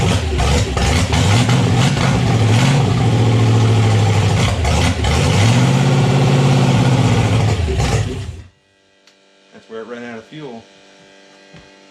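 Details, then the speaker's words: Red Ram 241 Hemi V8 first start after rebuild, stock oil pump at 40 psi oil pressure: big rumble revving strongly for eight seconds, steady and even at higher rpm, then shutting off; normal running after rebuild. "sounds a lot better at rpm sweet cool we had 40 pounds of oil pressure which is amazing 40 pounds oil pressure on the stock oil pump"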